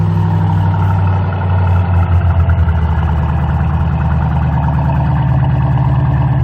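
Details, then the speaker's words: 2005-2010 Ford Mustang 4.6L 3-valve V8 after a throttle body cleaning, cooling system just refilled: steady, even low rumble, smooth idle with no misses or stumbles; normal idle. "good deal it's not often everything works exactly the way it's supposed to"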